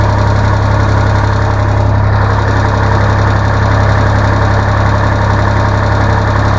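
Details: Mitsubishi diesel in a mini excavator, just started after water pump replacement and coolant refill: steady, even low chug at idle with no misses, knocks or surging; a collapsed leaking hose was found afterwards.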